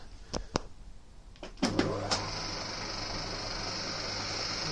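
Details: Old Winfield lathe with a newly mounted pulley spaced by a spare gear, belt slightly misaligned: a few clicks and knocks, then the motor starts into a steady low hum with a faint high whine, running even and sounding much nicer.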